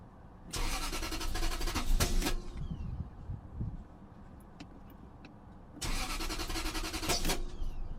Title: '97 Lexus LS400 - Crank & No Start